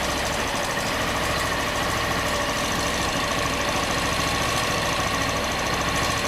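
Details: Honda Bros 160 motorcycle, back to warranty four times with the same noise: busy idle with a loose, uneven knocking through a steady buzz; internal engine knock, cause not pinned down.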